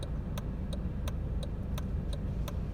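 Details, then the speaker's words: Car stereo cutting on and off after heater matrix replacement: sharp evenly spaced pops, about three a second, over low cabin rumble, heater running; the music then stops coming back on. "as you can hear the popping the radio stereo is popping on and"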